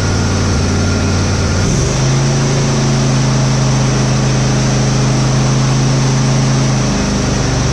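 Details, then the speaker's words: Husqvarna GT52XLSi lawn tractor, 24hp Briggs & Stratton, after replacing the carburetor jet O-rings, not fully warm: after a brief pitch change it settles into a steady, even drone with no surging; runs perfect now. "it runs perfect now so just must be those Jets I mean it probably if you just replace those o-rings on there"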